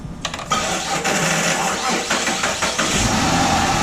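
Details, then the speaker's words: 2007 Chrysler 300 3.5-liter V6 with good battery, charging: labored, slow, uneven dragging crank before catching, worn starter struggling to spin engine; later replaced, grounds also to be checked. "Yeah, you can hear it drag a little bit. Try it one more time. It's starting real slow, guys."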